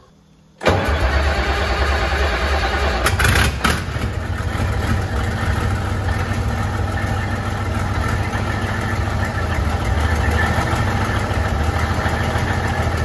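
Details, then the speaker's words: 1972 Freightliner cabover diesel truck, recently revived after 27 years, warm restart: brief crank, fires at once and settles into a steady, even idle with no misses or knocks, "fired right back up"; normal start and idle, still holding air pressure. "Fired right back up, bro. Yeah, I heard it."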